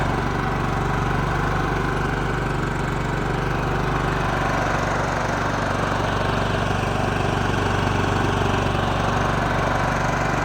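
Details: John Deere LT155 riding mower single-cylinder, previously no crank and stalling after 5 seconds, now running after applying choke: steady, even drone about four beats per second, no misses or knocks; runs healthy.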